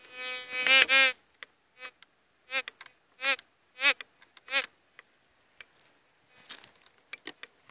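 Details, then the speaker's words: GMT White's metal detector after a settings adjustment: sharp warbling beeps in short bursts as the coil passes a 10-centavo coin, quiet gaps between, no longer responding to the stone; normal target signal. "melhorou não está detectando a pedra ea moeda está só e se aumentar a profundidade vamos ver aqui se muda alguma coisa"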